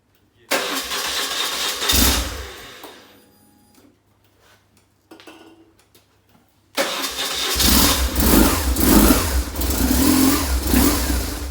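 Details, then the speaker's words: 2003 BMW R850R twin, still cold and on choke, running on a temporary fix after a fuel pump failure killed it on the highway: it starts, dies, restarts and settles into a steady, slightly fast normal idle. "so still a bit cold but it runs so we uh it runs good it um still run it's still a bit cold so it's still on choke"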